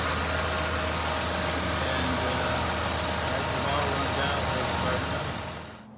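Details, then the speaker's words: 2007 Ford Expedition after AC compressor replacement and refrigerant recharge: steady, even idle hum with faint constant compressor whir, no knocks or squeals, AC blowing cold, normal running with AC on. "but everything's cold running good the whole method I used in this video worked very well"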